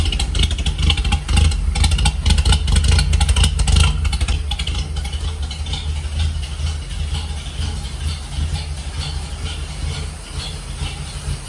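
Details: 1946 Dodge pickup barn find, old six after regapping bad, loose points and a new condenser. On choke, no coolant: low steady even running, no knocks or misses, settling quieter after a few seconds. Healthy idle.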